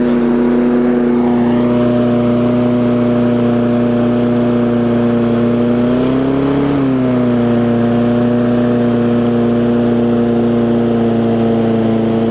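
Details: Craftsman 22-inch big wheel push mower, Briggs classic engine, 2008, after safety cable fix and carb linkage adjustment (spring previously messed up): steady high-pitched drone with brief surge mid-run, running a little fast; owner thinks the spring is just warm.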